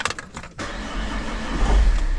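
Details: Car after replacing a failed dual mass flywheel that had caused whole-car vibration. A few light clicks, then the engine catches cleanly and settles into a steady idle with no shudder. This is a normal start.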